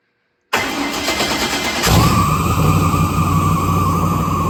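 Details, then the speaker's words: LS V8 on a home-built engine run stand with marine battery and fuel lines fitted, known good runner: cranks briefly, catches cleanly, settles into steady even idle with faint belt whine; normal start and idle. "And you know that it runs good. So let's fire it up."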